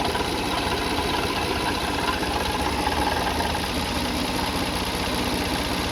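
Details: Car engine at idle, no leaks seen on the cover; fast, uneven knock ticking along at engine speed; worn water pump bearing, timing belt kit and pulleys being checked.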